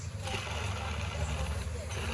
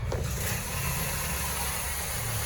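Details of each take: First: Peugeot 308 running with a noisy engine: steady deep rumble that never changes rhythm, traced to the worn bearing of the external water pump clutch; bearing replacement considered. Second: Peugeot 308 after repair of a noisy engine, with the earlier noise now gone; smooth, even idle rumble with no growl or whirring from the pump area, idling as it should.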